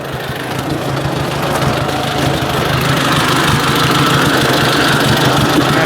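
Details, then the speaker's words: Ford 800 tractor with troublesome square carburetor and vacuum fuel pump, started for discing and potato planting: even, regular putter that firms up as it settles, no misses or knocks; running good. "let's fire it up man she's running good"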